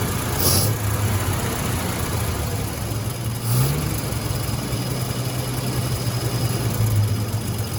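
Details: 1956 Dodge C3-H6 1.5-ton truck, first start in 20+ years, throttle worked by hand with screwdriver key: low, even inline-six idle holding steady for several seconds with a slight throttle blip; engine revived.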